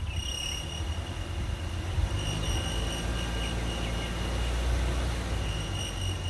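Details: 2015 Ram 3.6 Pentastar at 115,000 miles, at idle after about half a mile of driving: a thin, steady squeal that stops 30–60 seconds after stopping; belt, idler and accessories were checked and are not the cause.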